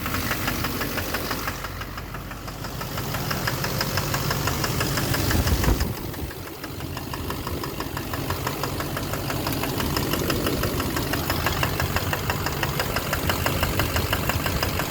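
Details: 2009 Chevrolet Duramax LMM dually diesel, cold start at 4 °C on fast idle in drive with e-brake on: sharp regular ticking knock about three a second over the clatter, from the rear; unplugging injectors points to #5.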